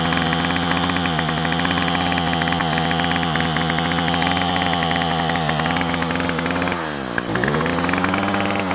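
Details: Yard Machine two-stroke string trimmer, about three years old, after new carburetor, gasket and spark plug fixed rough running: steady, even buzz holding its pitch, a brief dip and quick recovery; running healthy.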